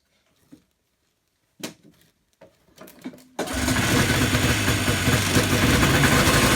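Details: Yamaha Enticer 300 two-stroke snowmobile, year unknown, 120 psi compression per side, said to have run last winter; after priming, cranking then it fires into a loud steady crackling idle with smoke, starts and runs fine.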